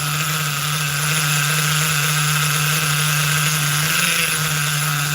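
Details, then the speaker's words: New Force .25 CNC nitro engine in an HPI RC car, break-in on second heat cycle: buzzy high-pitched drone holds steady and never reaches full revs; top-end mixture still too rich. "She can't even uh she can't even get all the way up into the RPMs yet. She's still so rich up top."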